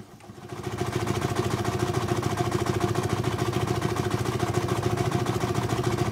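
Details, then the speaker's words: 4.5-inch scale model showman's steam traction engine at almost full working pressure, 110 psi, running in garden, first run this year: even steady chuff about three and a half beats per second, no knocks; timing freer running forward than reverse; normal running. "the timing of this engine is a bit strange really it's different in forward and reverse the timing makes it so it's freer running in forward than it is in reverse"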